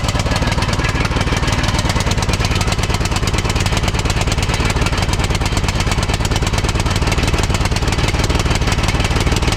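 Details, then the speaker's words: 2006 Troy-Bilt Pony lawn tractor single-cylinder with replacement carburetor and new BK5ECU plug, started on full choke: fast uneven ragged chugging, not a clean idle; seems rich, new carb believed faulty; rough running. "Seems like she's running a little bit rich. Heat. Heat. Okay. Well, it doesn't seem like it's running very good on this carburetor."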